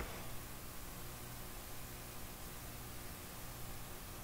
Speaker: but when you jack up the audio and post you tend to get static or like humming or in the